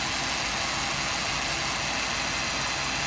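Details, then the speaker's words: Ford Taurus 3.0 V6 idling with flashing check engine light: faintly uneven low pulse under loud hiss, a misfire from one cylinder with no spark. "check engine lights flashing a quick test here to see if you got sparks"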